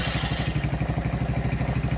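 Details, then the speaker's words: 70cc Chinese quad single-cylinder restarted on choke: steady even idle around eleven pulses a second, no misses or rattles, more sound from carburetor than exhaust, rear end noisy with no load; normal idle. "Oh, that's nice. That's nice. Yeah, what I'm thinking is let's modify this exhaust system, okay? You know, it sounds okay, but"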